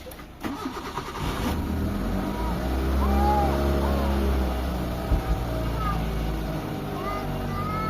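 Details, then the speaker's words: Mitsubishi Lancer whose idle had been unstable: the engine cranks, catches and settles into a smooth, even idle with no hunting or misses now that the idle servo works; the idle does not rise when the steering wheel is turned. "Ayan mga bossing, kumalma na yung makina natin mga boss. So gumagana na yung servo natin."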